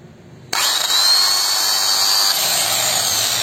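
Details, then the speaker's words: Makita angle grinder with its guard removed, switched on: a harsh, gritty high hiss and thin whine, a sign of worn armature bearings. "kita bisa dengar bunyinya terdengar kasar untuk kita ketahui semua kerusakan bearing mesin ditandai dengan suara mesin terdengar kasar"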